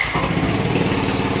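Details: Yamaha NMAX V1 scooter at idle after fixing a clogged fuel injector and redoing front wiring: fires up at once and settles into a quick, even putter with no misses or stumbles; healthy.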